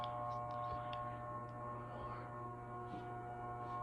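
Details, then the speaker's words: 42-inch Harbor Breeze Centreville ceiling fan running on high speed: constant low buzz vibrating through, with steady hum underneath; very noisy on high; motor buzz. "turn the now I'll turn the fan on now and start at the high speed it's got a buzz that vibrates through the"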